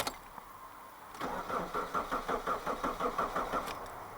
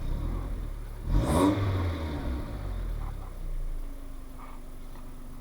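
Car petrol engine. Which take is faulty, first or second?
first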